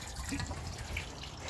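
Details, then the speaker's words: Microhydro penstock filling after the top valve is opened with the bottom valve closed: wet irregular gurgles and drips over a low rumble as trapped air escapes up the pipe; normal during filling. "Okay, so I walk back up here another 270 feet and I open the valve and you can hear the air gurgling there. Gurgling, that's all the water that's in the pipe, in the penstock."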